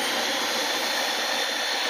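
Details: Dyson DC25 vacuum switched on at the power switch to show which switch does what. Steady, even, high-pitched whir with no surging, grinding or rattle; the motor spins up and runs normally.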